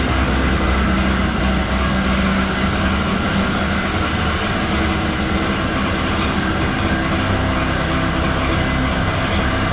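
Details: Moster 185 Plus small two-stroke after priming: idles unevenly, beat wavering and stumbling; rough idle with hard restart, cause not clear.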